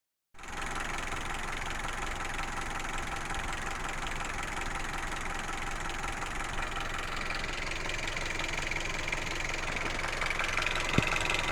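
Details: Hyundai Solaris 1.6 after overheating: steady idle with a light, fairly regular internal engine knock about three times a second over the hum.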